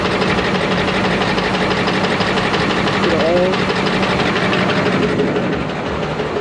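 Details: Ford 6.4 Powerstroke diesel, smoking with heavy blow-by, turbo possibly failed, before compression test: uneven lumpy idle with irregular knock about three per second under loud clatter; one cylinder seems to miss, cause not confirmed. Rough idle, misfire.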